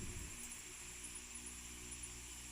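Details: Electric fan after disassembly, service and reassembly, previously dead or only humming: smooth steady whooshing hum with constant fine whine, no scraping or wobble; spins freely and runs normally.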